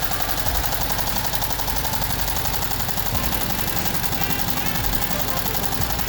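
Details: VW Type 1 air-cooled 36hp, reassembled after suspected bad bearing or rod knock turned out to be the pushrod guides: busy rattly clatter at a steady fast tick, no heavy rhythmic knock; running normally again.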